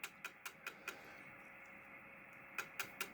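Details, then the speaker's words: Datron PRC-1099a HF military transceiver controlled by a CatTouch display: crisp relay clicks about five a second, a pause, then another run as it steps through each frequency while building the channel list; normal. "And you can hear the radio clicking in the background and that is as it's building the list it has to change each frequency."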